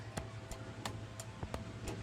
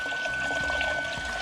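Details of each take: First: Ford Mustang Terminator Cobra, newly installed intercooler pump run with its relay jumped; steady ticking, then a loud, thin, fixed-pitch whine, the pump likely running dry and not circulating coolant, probably needing more water. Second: Terminator Cobra with new intercooler pump, repositioned after it ran without flowing; thin steady high whine over splashing, gurgling flow; normal pump operation.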